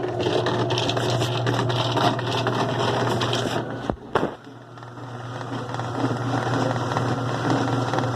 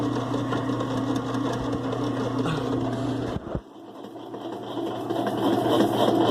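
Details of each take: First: 2005 Kenmore 70 Series direct-drive washer with a steady low hum and a rough rattling buzz in slow and delicate spin; the drain pump is suspected of being dirty inside, and the noise stops when running without the pump. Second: 2005 Kenmore 70 Series direct-drive washer running with the water pump disconnected: smooth low motor hum, no grinding or rattle, winding down quietly; runs clean without the pump.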